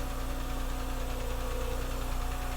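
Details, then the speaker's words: Neglected BMW 328xi after replacing a faulty "diesel valve": steady, even idle with a low smooth pulse. "just drove it around. Sounds good. I don't hear that rattling anymore."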